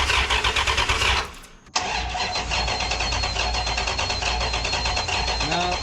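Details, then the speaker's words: Rebuilt 5.9 Magnum V8 in a 1996 Ram, cranked on a borrowed battery. The starter spins the engine in an even, quick rhythm but it never catches: no spark, as the coil plug was unplugged. "this plug that goes into the coil that was unplugged this is not getting any power up to this point well nothing was working nothing was working"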